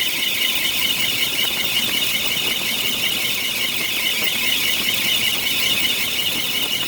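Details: 1993 Bentley Brooklands: a constant high-pitched squeal over the running engine from the A/C compressor area. Owner suspects a bad A/C compressor clutch bearing.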